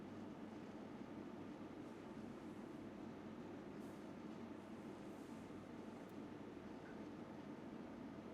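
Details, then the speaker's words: Enermax HF120 RGB 120 mm 12V fan (500-1600 RPM) turned up to max speed: a slight bearing sound heard at 1200 RPM goes away, leaving a soft, even rush of air with no ticking or grinding, running smooth. "sound kind of went away. I really don't hear it. I hear more of the fans being pushed, pushing the air."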